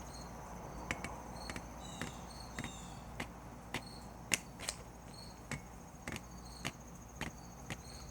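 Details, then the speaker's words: 2018 Harley-Davidson Ultra Limited with heated grips, 5,000 miles: sharp, uneven clicks about every half second as the twist grip is worked; the throttle-by-wire grip binds, sticks, then breaks free, and the fix was replacing the twist throttle switch. "it's just binding and what happens is you try to roll on the throttle and it sticks so you push it harder and harder and then it breaks free"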